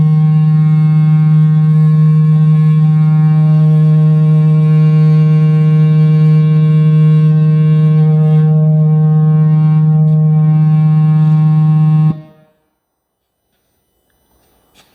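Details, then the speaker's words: Cerwin Vega AT12 speaker played with a low test tone sweep: loud tone with a hard buzzing edge as the loose cabinet joint rattles with the woofer, a common failure from loud use. "so that was pretty easy to figure out it was pretty loud that's what i heard when i had music going on them"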